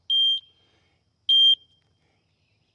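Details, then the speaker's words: Harbor Freight metal detector scanning a utility pole before sawmilling: short clear high-pitched beeps about every 1.3 seconds, detecting metal. "I can already see right there's a piece of metal, there's a screw that had been broken off."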